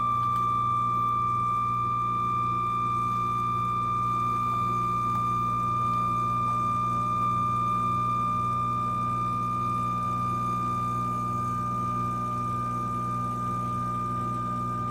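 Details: DeLonghi Eletta Explore replacement espresso machine: a steady, piercing high whine over the brewing hum, only when making coffee drinks, not tea or hot water. It started after under 50 drinks, the same fault as the first machine; cause unconfirmed.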